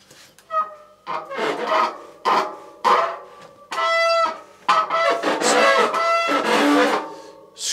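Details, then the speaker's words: Lapierre 627i e-bike disc brake: loud, piercing squeals on each brake application; the caliper bottom looks wet, pointing to contaminated pads. "just remember that squeak because 99 of the time that screech and that squealing is contamination on your pads"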